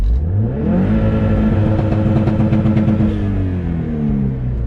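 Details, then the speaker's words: 500 hp Subaru STI, no misfire at idle, held at 6500 rpm on launch control building boost after coils moved and plugs replaced: loud drone broken by uneven stumbling pulses, then exhaust smoke; misfire under boost. "let's hold this thing at 6 500 RPM in a launch control build some boost and see if it starts to cut it is automatic misfire"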